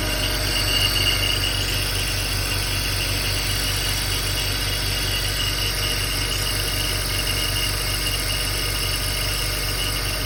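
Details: 2004 BMW X3 3.0i E83, 129,000 km, cold idle about 12 seconds after starting: a thin, ringing chirp at roughly four pulses a second that disappears with slight throttle and once warm. Owner wonders about timing chain, accessory, AC compressor or water pump; source undetermined.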